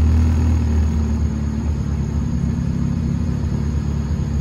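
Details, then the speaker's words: Honda Civic petrol engine at operating temperature after idle fix (idle screw adjusted, PCV valve removed): steady, even low rumble around 1000 rpm, no surging. "it's operating temperature guys so it's it's just warmed up you know i'm gonna let it idle a little bit more"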